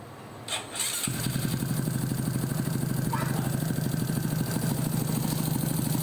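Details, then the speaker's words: Honda XRM 125 fuel-injected single with a C5 head, after replacing the timing chain tensioner with an adjustable one and correcting timing by about 2–3 degrees: starts after a short crank and settles to a steady, even idle with no tensioner rattle, only cam noise; normal start and idle. "So ayun, it works. Wala nang ingay sa tensioner. Ang tanging ingay na lang naririnig ko is yung cam."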